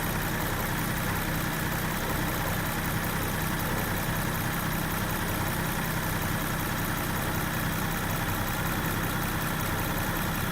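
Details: 2022 Land Rover Defender 110 X-Dynamic, 32,792 miles, idling with hood open: steady even low hum, no knocks, ticks or misses; smooth healthy idle.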